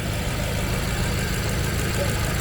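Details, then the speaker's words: Freshly built fully forged engine, after first break-in period and before the 500-mile break-in run: very quiet, even low idle rumble with no knocks or ticks, barely audible while running. "Look, you can't even hear it on. You can't even hear it. Now that's a built engine, that gang. You can't even hear the car running."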